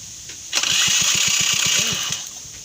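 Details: Honda Flash S stock scooter: about a dozen quick cranking chugs, then the engine catches briefly and fades; hard starting.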